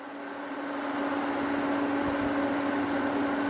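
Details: Sevilla SV-212II double induction cooktop, repaired after lighting its display but not heating: steady coil hum under an even fan rush with no buzzing or cutting out, drawing about 8 A at high power, about 2000 W per side.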